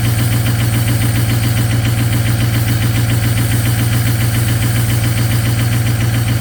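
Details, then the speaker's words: 6.0 Powerstroke diesel cold-started at -2°F after glow-plug cycling, at high idle: steady lumpy pulse about once a second, like missing, with no power when driven; partially gelled fuel, cleared with anti-gel additive and a top-up. "I went for a drive after it warmed up and it had no power and it it sounded really weird and it was almost sound like it was missing turns out the fuel was gelled"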